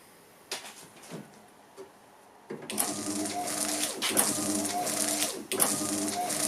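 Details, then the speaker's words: Gilbern classic car retrofitted with a Ford Focus Mk2 wiper mechanism, now parking correctly after extra loading; motor whirs steadily with a soft thump at each reversal, running fast on a higher-voltage battery charger; normal wiper operation. "well there you go just a bit of extra loading and we have parking windscreen wipers and they're even parking on the right side"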